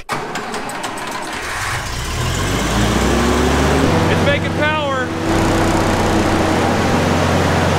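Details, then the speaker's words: Old standby generator after new coolant, fuel pump, fuel filter, wiring, breaker, battery and fresh gas: the starter cranks briefly, then the engine catches and settles into a steady, even run, generating electricity. "the thing is we want a quick shot off just in case a lots awesome it generate electricity engine purrs"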